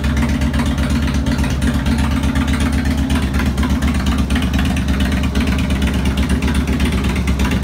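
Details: 2002 Harley Road King Classic on a bike table, second start after replacing cam chain tensioners, lifters, O-rings, gaskets, checking leaks: lumpy, loping low idle staying steady, no ticking or knocking from top end; healthy.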